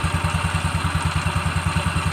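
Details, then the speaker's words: Carbureted Yamaha Xeon scooter idling after a full CVT clean and service; the old belt was cracked and oil-soaked and the rollers worn. An even low thumping at about nine beats a second, no rattles; normal and running better than before. "Oke, motor sudah hidup ya. Sudah normal guys ya, bagus ya."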